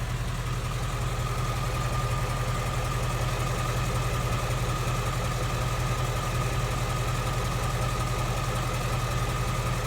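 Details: 2016 Ford Mustang GT 5.0 Coyote V8, about 10,000 miles, warmed to normal temperature with AC off, heard at the fender: smooth, even low idle with only soft normal valvetrain patter, no igniter-like tick or Coyote tick.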